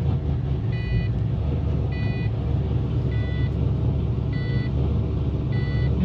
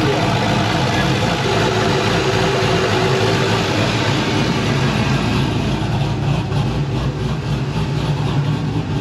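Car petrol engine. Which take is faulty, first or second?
first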